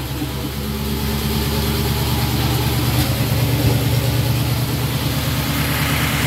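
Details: 1931 Willys four-cylinder after engine rebuild, first start with hood and radiator refitted: deep, even idle with a regular low pulse and no knocking or stumbling.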